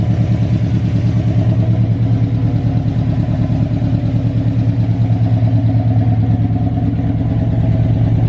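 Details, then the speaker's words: Big-cam GM 5.3 V8 in a truck, first start after swap: lumpy uneven low thump near three pulses a second at idle; the four DOD cylinders are not firing because the DOD valley connector was unplugged. "All right, so we just came to the realization that 4 cylinders are not firing, and they're the DOD cylinders."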